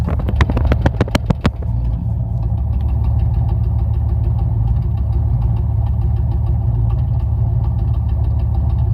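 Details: 1994 Chevrolet Camaro LT1 V8 after start-up, settling into a choppy idle with an irregular stumbling beat: a misfire caused by a spark plug wire burnt through, fixed by rerouting the wires.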